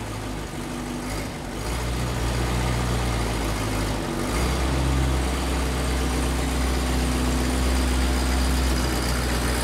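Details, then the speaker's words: Later Packard straight-eight side-valve engine, thermosiphon cooling with no water pump, started after fuel had drained back to the tank: low, soft, even burble with lovely muted exhaust note, no misses or knocks; healthy idle. "there's still no water pump it's thermo siphon but a look of it get a lovely muted exhaust note"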